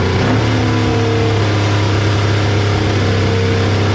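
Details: 1973 Honda CL350 after fixing a stuck spark advance: it now runs on at a steady high idle without dropping out and dying. The carbs are still jetted for 6000 ft elevation while run at 2000 ft, so they need tuning.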